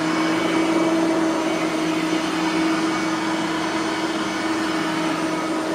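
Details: Bissell 3510-9 (9 amp) upright vacuum after greasing both brush roller bearings; steady motor hum with clean tone near 300 Hz, no scraping or rubbing from the brush roll anymore; normal running.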